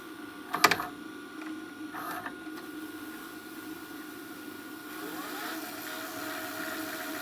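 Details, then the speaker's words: Repaired JVC DR-MV79B DVD recorder/VCR combo on fast rewind, fitted with reel and end-stop sensors: a few mechanism clicks, then a soft steady motor whine as the tape spools back, so fast rewind works normally. "and yes this does got reel um sensors as well as the end stop sensors and so forth"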